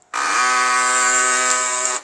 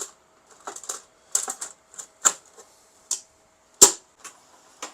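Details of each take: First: HP LaserJet P1102 makes a harsh, buzzy grinding rasp for about two seconds after power-on, caused by a foreign object fallen inside. Fix: open the top cover, remove the toner, find the object and pry the lever up with a flat screwdriver. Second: HP LaserJet P1102 running normally after fixing its grinding noise by removing a fallen plastic piece and screw from under the toner: scattered light clicks and ticks over a faint steady hum, no grinding.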